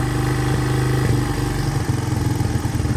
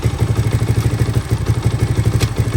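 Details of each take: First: 1983 Honda XR200R after top-end rebuild, first start, warmed up after about 10 minutes idling in neutral, no cam chain slap: steady thumping idle that then quickens and climbs upward; rising idle, may need more adjustment. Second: 1983 Honda XR200R after top-end rebuild, first start, still warming up, in neutral: steady even single-cylinder thump about seven pulses a second, no cam chain slap, misses or clatter; normal idle.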